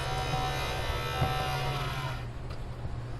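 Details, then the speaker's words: 800W AC/DC power inverter connected to a battery after a simple fix: cooling fan runs with a steady whir, low hum and faint rough buzz; fan sounds off, cause unknown. "the fan doesn't sound good"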